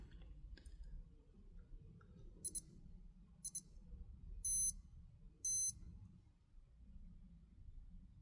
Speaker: So what should be happening is the depth alarm initially sounds twice uh with a short double signal and then the surfacing alarm signal follows with a long double signal.